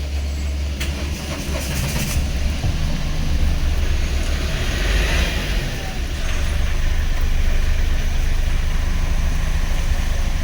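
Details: Mahindra Bolero Power Plus BS6 diesel passenger vehicle showing a check light and a DEF-fault, no-start-in-20-km warning: steady, even idle with a deep, unbroken chug and no knocks or misses after a corroded fuse was found as the cause, with a jumper battery connected.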